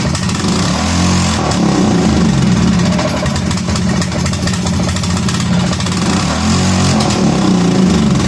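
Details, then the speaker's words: Kawasaki Prairie 400 ATV single cylinder popping unevenly at fast idle, beat wandering and stumbling after no-start troubles; runs rough and smokes, apparently burning oil. "well it fired more than once that time oh my gosh it wants to run"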